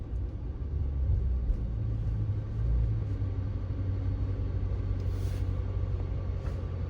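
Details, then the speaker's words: Chrysler 300 Scat Pack swap rolling to a stop after brake pads were removed, refitted and the pins tapped in harder: low road rumble with no squeal or grind; the earlier squeal is largely gone, and the hardware is suspected as the cause. "That's crazy work because it really isn't squealing like it has before."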